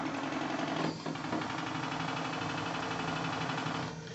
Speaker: ça marche super bien le ralenti du coup recommence oui ça se résume parfaitement